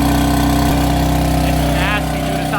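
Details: BMW F80 M3 cold start at idle with a harsh, raspy rattle over the steady engine note, present for a month or two; owner suspects the failing exhaust flap actuator motors, which are being replaced, though the cause is unconfirmed.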